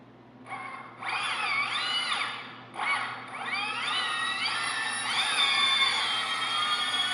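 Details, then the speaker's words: Heavy-lift drone armed at low throttle, after swapping motor wires to fix rotation direction (not DShot): motor whines rise in staggered steps, one motor joining late, then hold an even pitch. All motors spin the right way; there is slight concern over the slow one. "everything is going the right direction a little bit worried about that one there it seems like it takes a little bit to come on"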